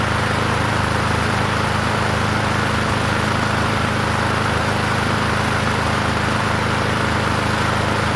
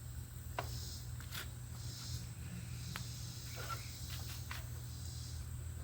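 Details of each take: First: Murray 21" push mower with engine stamped 125, running: steady single-cylinder drone with a buzzy metallic rattle from the vibrating muffler guard, whose bolts need tightening. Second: Free 21-inch Murray push mower after cleaning the gas tank and air cleaner base, primed and started on the second pull: steady, even low drone with no misses, knocks or surging; normal running.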